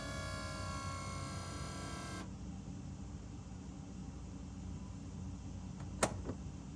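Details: BMW E60/E63 M5/M6 SMG pump during the INPA bleed after a CHF-11S fluid top-off: quiet steady pump hum for about two seconds, then a sharp click as it switches gears. Normal operation, unheard with the previous failing pump.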